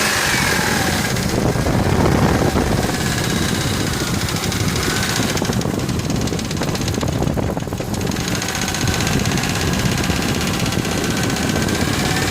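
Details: Ford F150 4.6 2-valve V8 at idle, timing chains just replaced: quick, even ticking rattle that sounds like a lifter, but nothing heard at lash adjusters or roller followers with valve cover off; rod bearings suspected, not confirmed.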